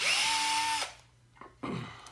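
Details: Drill driving a screw into wood: steady high whine sagging slightly as the screw bites, then stopping cleanly with no impact clicking; normal operation.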